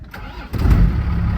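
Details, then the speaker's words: 1st Gen Dodge Cummins 12-valve with a 5-speed manual, just fitted with a new exhaust tip: short crank, then it catches cleanly and settles into a deep, even diesel clatter. It starts cleanly and runs healthy. "Sounds good. Sounds really good."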